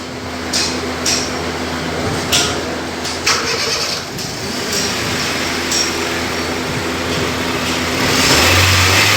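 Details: Honda with an idling problem after cleaning the throttle body and idle air control valve: engine fires up, takes a few quick throttle blips and settles into an even, steady run with no hunting or stumble.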